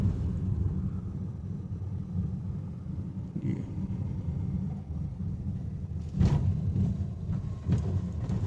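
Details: Honda Amaze test drive after steering rack and full suspension repair with new parts: steady road rumble and soft dull thuds over speed breakers and potholes, no clunks or knocks; the earlier suspension noise is gone.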